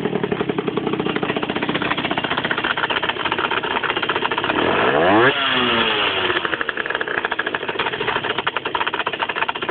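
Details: 50cc two-stroke motorcycle with a rapid rattling clatter of about four beats a second at idle, swelling with a rev. It is also heard when engaging the clutch and at low rpm, and it appeared a month after the crankshaft and clutch were replaced. Cause unclear.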